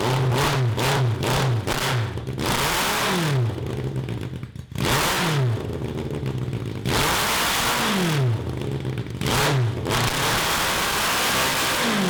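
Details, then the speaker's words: 1982 Honda CB750 carbureted engine for a cross kart, repeated revs toward redline sound flat and strained above 4,000 rpm after rejetting; still running lean, not enough fuel up high, though idle and low rpm are fine. "so it still doesn't have enough fuel when i put it on"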